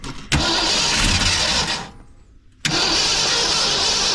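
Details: 1968 Ford truck sitting about two weeks with a dry fuel bowl, gasoline poured in: two bursts of brisk steady cranking, never catches; owner wonders if it flooded or lacks fuel in the bowl.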